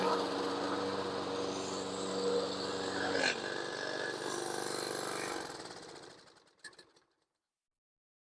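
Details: Toro Recycler 22-inch mower with Briggs & Stratton engine, previously would not start on its own, after carburetor cleaning and valve adjustment; holds a smooth, even beat about five seconds, then winds down cleanly: runs healthy.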